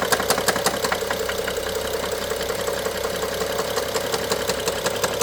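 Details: BMW F07 with N55 engine: sharp crisp knocks nearly three a second over steady idle, heard by stethoscope on top of engine, loudest near cylinder 1 injector and middle electrical connector; worse with throttle, sometimes pauses briefly; timing chain inspected OK; top-end knock, cause unknown.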